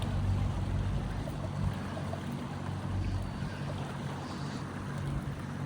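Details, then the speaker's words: Yamaha 70 outboard after $3,100 repair for bad-gas damage, cruising on a cool day: constant, even drone with water and wind noise, no stumbles or surging; running really well, normal cruising. "Yeah, the engine sounds like it's running really, really well. That's good to know."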